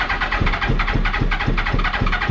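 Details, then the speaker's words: 2000 Yamaha R1 4XV running on only three cylinders, leaky carburetors, before carb repair: uneven cranking chuffs around four a second with occasional weak catches that never settle into an idle. Hard starting; owner suspects no petrol reaching it. "there you go don't even want to start up five minutes later"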